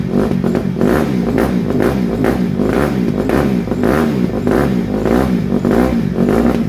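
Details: 2007 Honda CRF150R single-cylinder dirt bike after reassembly, choke off, still slightly cold: short throttle blips climb and fall back cleanly without misses or knocks; sound engine, though the carburetor still needs fine tuning.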